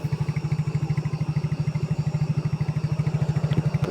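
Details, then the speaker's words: Yamaha Mio J scooter after cam chain replacement, started and idling with an even, low putter and no rattle or tapping from the top end; the earlier loud clatter from the slack cam chain is gone and the engine sounds normal. "Ini kita starter, ya. Alhamdulillah ini sudah normal. Untuk bunyinya sudah lumayan adem ya. Sudah tidak gembelak seperti sebelumnya."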